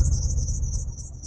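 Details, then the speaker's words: Early OBD1 GM vehicle with 4L60/4L80 transmission, running rough with a miss and service engine soon light: constant high-pitched squeal wavering over low engine rumble; drive belt squeaking and slipping, needs a new belt. "you can hear just St squeaking from the belt"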